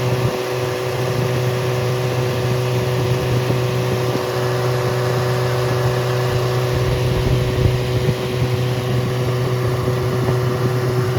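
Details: Rebuilt Triumph Spitfire 1500 engine (FM125586UE), crank turned, many new parts, compression 190–210 psi, oil pressure 80 psi cold, ≥47 psi hot. It runs steady and even through an open exhaust with no muffler, under a rapid fuel-pump tick. Normal healthy running.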